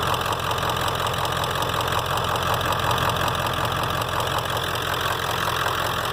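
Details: 1995 Ford F350 7.3 Powerstroke diesel idling after DIY power steering pump replacement: steady, even clatter with a faint whine on top, pump quiet, runs smooth; normal diesel idle.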